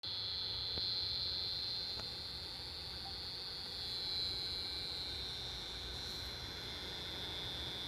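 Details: ASUS ROG Strix RTX 2080 Ti graphics card fan, after a year without issues, makes a constant high-pitched buzzing whine; a failing fan is suspected, not confirmed.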